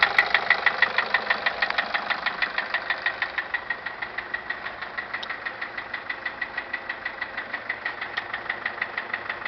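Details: 2006 Nissan Caravan at idle: sharp, even metallic knocks about three per second, easing slightly as the idle settles; engine knock of unknown cause.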